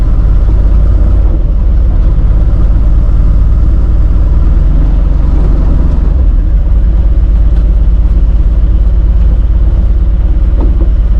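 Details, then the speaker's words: Free 1951 Plymouth, formerly locked-up engine, after a drive with stuck brakes: rough steady idle with dull loose knock about three per second through the rumble as oil pressure drops; knock previously mentioned by another person, owner plans thick heavy-duty diesel oil. "Oil pressure's down, and I'm starting to hear that that knock the guy was talking about. I'm gonna have to put some thick oil in it."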